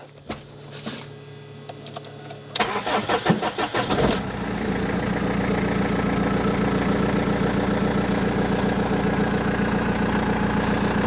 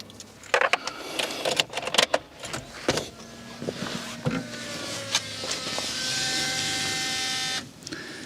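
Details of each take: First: BMW E46 3 Series after fuel pump and pre-supply pump replacement, fuel system primed: about 1.5-second crank, then catches and settles into steady idle with no long cranking; normal quick start, loud exhaust. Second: BMW E46 320d diesel with a fuel pressure fault causing stalls, after a new in-tank pump and pre-supply pump: a few clicks, then a steady high whine for a couple of seconds as the pump primes; still sounds noisy, cause unknown.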